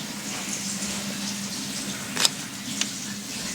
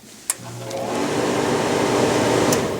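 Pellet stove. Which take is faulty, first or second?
second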